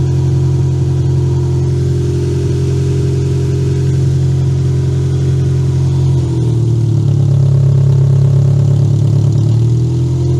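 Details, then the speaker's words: Toyota Camry demolition derby car running after a cut security-system wire was fixed, started with a booster pack; deep steady exhaust note, smooth rev up and settle back without misses, running strong and healthy. "Garbage lives! I say that runs good. Steven agrees. That runs really, really good."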